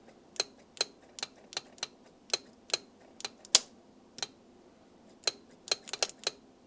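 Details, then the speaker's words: Citroen XM 3.0 24V V6, idle air control valve cleaned and bench-tested: crisp irregular clicks, about fifteen in seven seconds, valve stepping freely without sticking or the earlier seizing; normal idle air control valve operation, refitted after. "Still starts up nicely. It is a bit cold now though. Idle seems fine, a little high, but it's cold."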